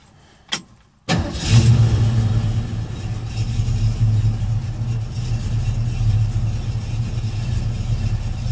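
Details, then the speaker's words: 1968 Ford Mustang, rebuilt 302 V8 with Edelbrock 500cfm carb and headers into Cherry Bomb Vortex dual exhaust. Warm start, after being started earlier because it dislikes cold starts. The starter catches at once and it settles into a steady, even, deep idle of about 500-600 rpm with good oil pressure. "Doesn't like to start cold, so I started it earlier. Should start right up."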